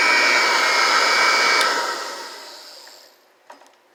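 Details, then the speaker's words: Vintage Kirby 505 vacuum with its original motor, fitted with a newer replacement fan that gives less airflow: a steady high buzzing whir that spins down smoothly and evenly when switched off; normal, healthy motor run. "i love the sound of these old motors you can tell they're original they almost have a buzzing kind of sound to them they're pretty neat really"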